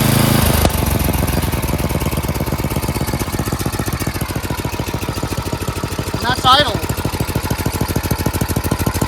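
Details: Craftsman 928 dual-stage snowblower, 9 hp Tecumseh engine, after carburetor cleaning (bowl, main and pilot jets cleared) and a quarter-turn idle/governor screw adjustment for surging: crisp, evenly spaced single-cylinder putter holding steady speed without surging; normal idle.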